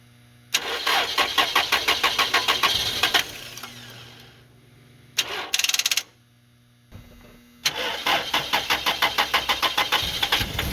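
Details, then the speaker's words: 2000 Toyota Celica, 242,363 miles, run on starting fluid: cranks, catches in uneven bursts, dies, restarts ragged and won't hold idle, blowing heavy smoke; a loose ignition ground bolt was later found and tightened. Cause suspected, not confirmed. "i got it to run it was very hard to keep running it was blowing smoke like crazy"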